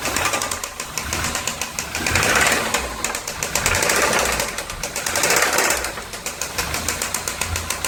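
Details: VW Santana AP 1.8 engine, oil level ok, new oil and filter, no smoke; oil pump, hydraulic lifters replaced, timing and camshaft checked yet noise persists: loud, rapid metallic knock rising and falling with engine speed; connecting rod play suspected, unconfirmed.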